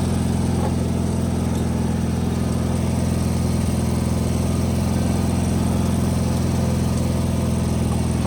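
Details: Wheel Horse 520H hydrostatic tractor running on its own gas tank after back-purging it, started by jumping the solenoid with a weak battery; deep, steady engine drone at even speed, no stumbling, surging or knocking; runs great, normal running.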